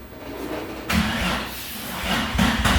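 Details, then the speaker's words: Nissan 350Z VQ engine after the broken, obnoxious exhaust was cut apart and rebuilt with a nicer muffler: cranks, catches, then settles into a deep, even idle with clean blips; moderate, healthy exhaust note, much quieter than before. "That sounds way better. It's like almost, it's not quiet, but it's not like super loud either."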